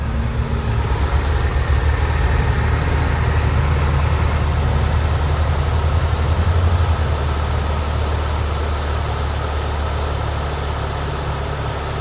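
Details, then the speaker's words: 2007 Saturn Sky cold start after sitting for over a week: an even, low idle hum, slightly faster at first and then settling, with no ticking or knocking. Normal cold idle. "All right, it's a cold start. Saturn sky."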